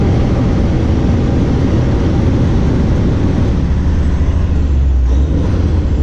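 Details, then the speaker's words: Truck's Cummins diesel idling after installing a CM2250 short-block fuel pump with new floating-pin tappets and replaced plungers and barrels: deep, steady, even low rumble with no knocks or misses and no check engine light; sounds good. "Nice to not have a check engine light. Sounds good."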